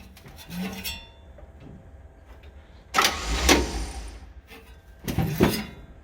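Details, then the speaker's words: 1966 Chevy G10 van, ATF poured into the cylinders: short starter cranking bursts about a second each, never firing; no spark seen, and dirty distributor points are suspected. "Not seeing any spark, so probably gonna have to get under that cap and look at the points and clean the points, but I thought it was worth a try."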